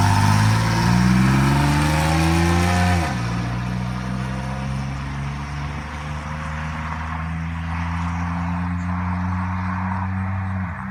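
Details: 1997 Chevy Camaro RS, 3.8L 3800 Series II V6, Cherry Bomb Turbo muffler after the tailpipe turn-down was finished: a rev rising then dropping to a steady, deep, throaty idle with no drone. Normal V6 exhaust note; cabin drone eliminated.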